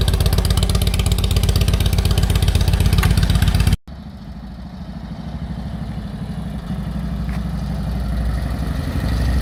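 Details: 1946 Indian Chief V-twin, original engine, restored, revived after 12+ years in storage: strong, regular potato-potato beat about four pulses a second, steady and even after a brief cut; healthy normal idle.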